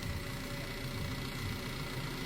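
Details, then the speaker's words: 2016 Buick Regal Premium 2.0L turbo with a customer-installed used engine, idling after a faulty fuel rail pressure sensor was replaced: smooth, steady low rumble with no knocks or misses, quieting down, running cleanly. "engine seems to be quetting down a little we've got some things on bolted here but main thing is we got a running"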